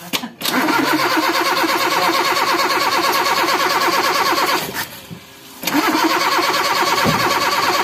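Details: Toyota Kijang Super engine, hard to start and limping: catches after cranking, runs ragged, nearly dies, then picks up. Compression leak; head found porous and pistons worn from overheating.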